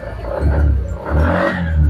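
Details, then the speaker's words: Suzuki Spin 125 scooter, carburetor serviced and new spark plug fitted: engine surges in rough bursts and stumbles unevenly when throttle opens, a severe misfire. "itu masih mengalami mbet dan mbetnya itu seperti ini nah seperti ini jadi ketika motor ditarik gas itu suaranya BR seperti itu"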